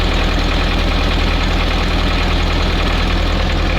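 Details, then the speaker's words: Old ZIL crane truck diesel at raised idle set by cab lever for crane operation, idle adjusted via threaded lever; steady even clatter with firm low thrum, no misses or knocks: normal raised idle. "Вот у нас холостой ход. Холостые обороты надо увеличенные. Вот увеличенные для работы крана."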